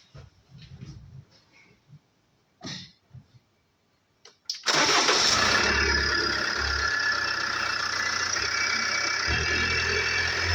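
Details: Range Rover Evoque 2.2 diesel, 78,704 on the odometer, engine started to prove it: cranks, catches quickly, settles into steady even idle with no knock or rattle; healthy engine.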